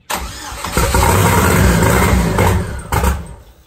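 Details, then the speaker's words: Turbo Chevrolet Cavalier first start: engine fires raggedly with uneven, lumpy beats, backfires and a pop, then dies within seconds; misfire because the coils were wired in the wrong firing order (4-1-3-2 read backwards). "what I think what's happening is we were reading the coil pegs yeah it's like 4 1 3 2 mm-hmm we were putting cylinder 1 on here yeah because we were reading the book backwards"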